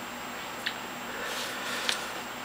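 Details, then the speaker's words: Seagate FreeAgent Pro 500 GB external hard drive (product 100453518) on a failed power supply: two faint, sharp ticks about a second apart over hiss as the drive keeps trying to power on. It sounds like stuck heads but isn't; the power adapter's capacitors have failed. "it kind of sounds like they're like not quite powering on they keep trying which sounds like the drive is dead or something sounds like you've got some stuck heads in your in the actual hard drive in there but that's not the case"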